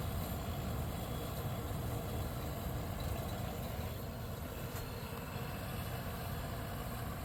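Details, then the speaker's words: 1973 Westinghouse 25-pint dehumidifier with R12 low-pressure compressor, just bought used and first started; fan and compressor give a low even hum with no rattles or knocks, very quiet; normal running. "if that's the full speed that the fan motor is running at because if it is the this thing's quiet to kind of makes sense since uh this particular a is uh designed to run on the low operating pressure R12 so it's a much quieter running compressor amazing yeah this thing is quiet"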